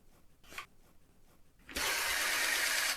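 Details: TRS-80 PC-1 pocket computer printer interface after replacing shorted built-in NiCad batteries with a homemade removable NiCad pack: short, even buzzing whir about a second after switch-on, stops cleanly; mechanism cycles normally, power-on now works.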